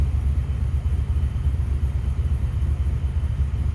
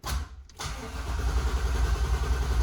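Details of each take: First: 1994 Impala with Vortec supercharger, no-start traced to intermittent fuel pump: now running with good fuel pressure, a low smooth rumble holding steady with no misses, ticks or knocks; quiet normal idle. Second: 1994 Impala with Vortec supercharger, fuel pressure gauge connected: the starter cranks evenly with a low chugging beat but the engine never catches; the fuel pump did not prime at key-on, so there's no fuel pressure. Crank, no start.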